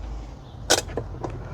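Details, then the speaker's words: Ford Transit glow plug relay activated during continuity test: one sharp single click as relay pulls in, relay switching properly. "And you just heard the click."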